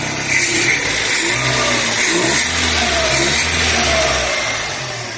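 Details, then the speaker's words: Chevrolet Corsa Classic, revved with headlights on: the engine climbs and falls smoothly with no belt squeal, and the earlier belt-area noise is gone. Readings were about 13.46 V with lights on, versus 14.2–14.3 V bench charge. Normal revving. "ligamos o farol não tá fazendo mais o barulho que tava fazendo antes lá na Correia né ó vamos acelerar aqui para"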